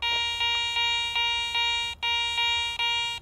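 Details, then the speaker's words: Garrett ACE 400 metal detector over a silver coin reading 75 or higher on target ID: a bright, steady, bell-like high tone pulsing about every 0.4 seconds, marking a high-conductivity target such as silver. "finally for high tone new thing reading 75 or higher on your target ID I've got a silver coin here"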